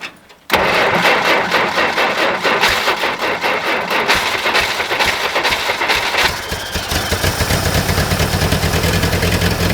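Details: 1960 Jeep CJ-5 with a V8, first cold start in years at around minus 30 on a new battery: short crank, fires straight away and settles into an even, steady idle with no miss or knock, oil pressure gauge reading; normal idle.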